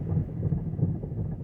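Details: 2009 Mazda5 in drive after a transmission fluid change: low rough growl pulsing about three times a second from the front, worse since the fluid change and better in reverse; transmission failure suspected.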